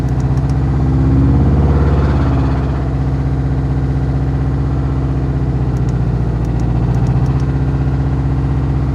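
Deep, heavy knock riding under the idle and getting louder as the revs rise, pointing to a worn connecting rod bearing.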